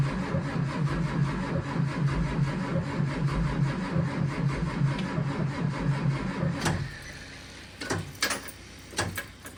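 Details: 2004 Blue Bird Vision bus (built 2003), pre-emissions 7.2L Caterpillar C7 210HP diesel, cold at about 23 degrees; it was plugged in earlier in the week and still reluctant. Steady cranking at about 160 beats a minute for nearly seven seconds, never catches: extended cranking, no start.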